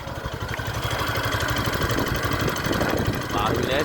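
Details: Yamaha Factor 150 single-cylinder motorcycle, new, before its 1000 km service: steady idle thump with an extra rough, uneven clatter on top, abnormal noise present from the factory, cause unclear.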